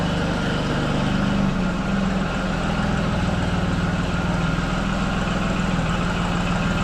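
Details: Farm diesel tractor after its hard-starting problem was fixed by cleaning dirty battery cable connections: a steady, even low chug at idle with a constant beat and no misses or knocks. It is idling normally.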